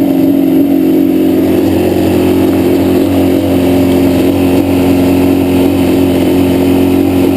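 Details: Yamaha Banshee two-stroke twin idling loud and uneven with a terrible misfire on the left cylinder, pipe not even warm at idle; carbs rebuilt, tried balancing them, air screws adjusted, problem does not follow the plug; cause unknown.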